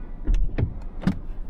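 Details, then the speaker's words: Mazda 3 door: three dull hollow knocks as the door opens with a hand resting on it, the door striking the lock; no noise without the hand there; the fault was still present after a shop visit. "看看这个门哎门还是有问题手放这里一开门它就会碰到那个锁"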